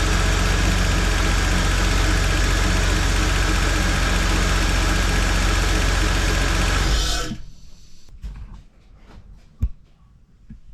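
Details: GM 3800 V6 (Holden Commodore VP) after replacing DFI ignition module and coils: smooth, even low idle with steady beat for about seven seconds, then shuts off; normal healthy idle.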